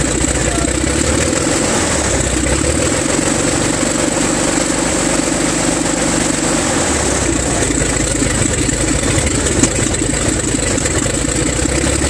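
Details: Six-cylinder engine at first start, battery weak and charger connected: steady, even drone with no misses or stumbles, all six cylinders firing cleanly. Afterward oil pressure reads 6 psi and dropping; sensors or wiring suspected.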